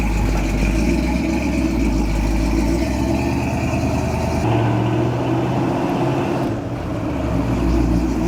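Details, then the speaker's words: Roughly 40-year-old Jeep J10 Honcho, barn-stored 20 years, after a carburetor rebuild and tune-up with new plugs, wires and coil, runs with a strong even rumble and a slight rev change, no knocks or misses; normal running. "All right, so it seems to be working pretty good."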